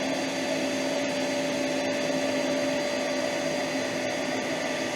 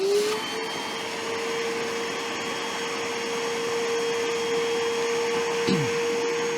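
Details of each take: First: Metabo AS 36-18 L 20 PC cordless wet/dry vacuum on Boost: steady even motor roar with constant whistle over the airflow, no surging or stutter; strong normal suction. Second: Metabo AS 18 HEPA PC Compact cordless wet/dry vacuum on speed 2 sucking water: even motor hum, then pitch falls away as the motor quits; electrodes in the 6 L tank detect full water level and cut the motor.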